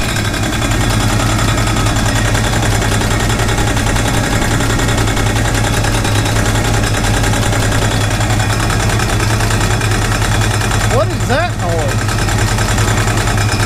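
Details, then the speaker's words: 1968 Chevrolet Impala fastback V8 idling on the lift after an exhaust clamp and hanger fix: fast steady ticking rattle locked to idle speed; owner suspects the fan, and a shiny rub mark shows the fan striking its shroud. "that's crazy stuff that's got to be the fan that's got to be the fan doing that"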